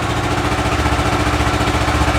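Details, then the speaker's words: Kawasaki Ninja 650 revived after being abandoned, just started: steady, even parallel-twin idle with a smooth regular pulse and no knocks or misses; engine running cleanly. "it's pretty good. So that's good."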